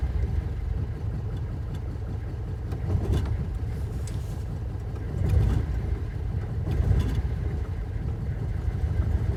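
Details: Alfa Romeo cold start on a cold day with pedal pumping: long steady cranking churn, then louder uneven surge as it struggles to catch; hard start, possibly flooded, cause not known.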